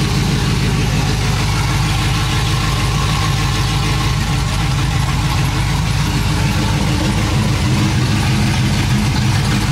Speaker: that is chopping